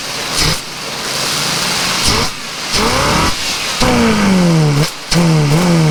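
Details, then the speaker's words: 454 TBI-injected RV engine that had no injector signal, after fuel and brake cleaner sprayed into the intake: sputtering, uneven revs surging and dropping with stumbles; rough running from the sprayed fuel and cleaner. "she's not very happy because I've been spraying crap down the carburetor and plugging everything up and you know it's got all that freaking Fuel and brake cleaner and all that other crap down in the engine"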